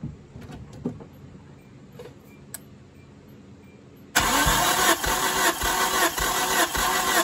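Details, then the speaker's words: Hyundai engine after a track incident (owner suspected detonation), compression test with steady, even starter cranking at about three pulses a second; readings about 118–120 across cylinders, motor judged undamaged. "so we can take that out of the pitcher the motor is not hurt this motor is good"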